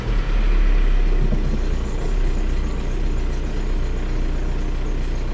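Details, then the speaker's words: 2003 VW TDI diesel start after thermostat and coolant temp sensor replacement, history of intermittent bad idle, in neutral after glow plug light out: clatters to life, slightly uneven lumpy idle with low throbbing; rough start, cause unclear. "right sounded like it started up a little rough there we'll give it a minute we'll see how it does"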